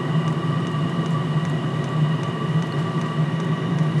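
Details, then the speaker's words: All-in-one 12V/24V/240V diesel heater running, lit, housing reaching 55°C. Steady fan whir with a faint regular fuel-pump tick beneath; heater burning normally. "running 12 and 24 man that's what a time to be alive"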